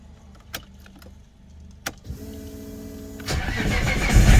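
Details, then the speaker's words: R32 Skyline GTR (620+ whp) cold start after installing shorter R35 ignition coil stalks and PRP trigger kit: starter whirrs briefly, engine catches cleanly, settles to even idle, revs smoothly with no missing beats; healthy ignition, still needs warming up. "Let's make sure this thing fires up, I guess. All right, cold start. Look at that AFR. This has to warm up."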